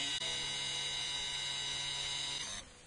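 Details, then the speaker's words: Electric parking brake motor, microphone held to the motor, retracting to the installation position via an Autel scan tool for a brake pad change (takes about five seconds): an even high-pitched whine that cuts off cleanly, normal operation. "it's another indication that it takes about five seconds I'm going to put the microphone to the motor and you can hear it"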